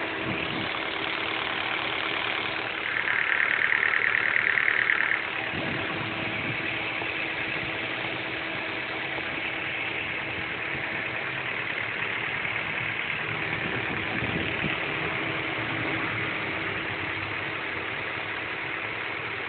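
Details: Honda Prelude petrol engine idling with a light, regular ticking, roughly three ticks a second; owner unsure of the cause.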